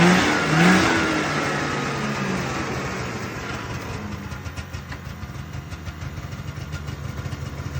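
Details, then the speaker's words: 1978 Arctic Cat El Tigre two-stroke snowmobile after carb needle and pilot jet replacement and wiring repairs: blips up sharply, then settles into a quick, even crackling idle with no misfire or stumble. Running much better. "yep doing a lot better uh going to move forward now and get the uh tank plumbed in"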